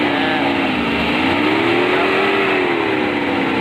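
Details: Mercedes-Benz W124 300E, original M103 3.0-litre inline six with K-Jetronic, idle about 1100 rpm, owner notes hard starting; smooth even rev that climbs and settles cleanly, no misses or knocks; healthy engine pulling freely.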